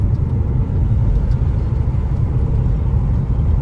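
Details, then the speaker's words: Citroen C4 Sebastian Loeb edition after replacing the worn stock suspension with new Bilstein shocks, driving: steady road and tyre rumble with no suspension knocking; a squeak and creak remain on gear changes, suspected exhaust heat shield or anti-roll bar D-bushes. "But there doesn't seem to, there's no knocking for the suspension now."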